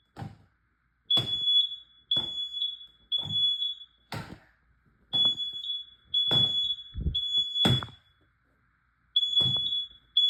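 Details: Home smoke alarm during an August 2 smoke and carbon monoxide alarm test: shrill high-pitched beeps in repeated short bursts with handling thumps; smoke alarm sounding properly.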